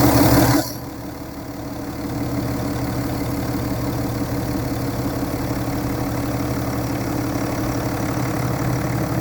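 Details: 2011 BMW F11 530xd, N57 diesel, 367,000 km: after start, deep rhythmic knock about three or four beats a second under the idle, rod knock.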